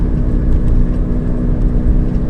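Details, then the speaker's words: Toyota Prius with 332,000 miles, driving in standard mode: a steady low whir under road noise from the front driver's side. A worn front wheel bearing is suspected, not confirmed. "so there's a whirring noise like a coming from the front driver's side so which suggests that the car needs uh wheel bearings on the front on the driver's side side front wheel bearings need doing that's what that noise is"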